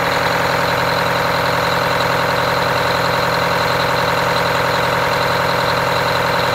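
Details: Detroit Diesel 8V92TA in a Wanderlodge RV bus after rebuilding one bank with four new pistons and liners, fresh coolant, start before first test drive: steady, even buzzing idle with dense rapid beat, no knocks or misses.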